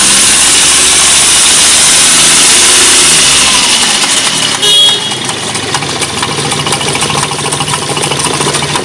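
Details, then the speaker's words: Hyundai Grand i10/Xcent, engine running with the accessory/fan belt removed to rule out pulleys: fast metallic "kat-kat" clatter from the engine that grows with acceleration; mechanic suspects the timing side, chain and hydraulic tensioner, not confirmed. "अभी देखिए इंजन से एक नॉइज़ आ रहा है, cut cut cut cut करके। एक्सीलरेट।"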